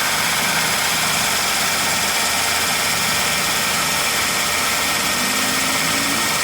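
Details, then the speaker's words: Ford Focus, 10 years old, 93,905 km, idling with the air-con on: a steady hissy, rattling drone over the engine from the worn, noisy AC compressor. It has an oil leak at the compressor fitting; outside 31°C, cabin 23°C. "คันนี้คอมแอร์มีเสียงดังนะครับ"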